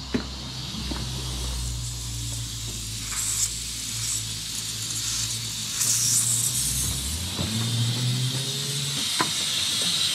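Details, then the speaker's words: Nissan SR20DET (S13/180SX/240SX), engine off, intake pressurised with compressed air at about 10–15 psi through the turbo inlet after an intake plenum gasket change: steady high hiss with compressor humming; leak found at the bottom of the throttle body. "i hear a vacuum leak but i don't know from where okay i've got a vacuum leak somewhere over here hello i can't pinpoint it"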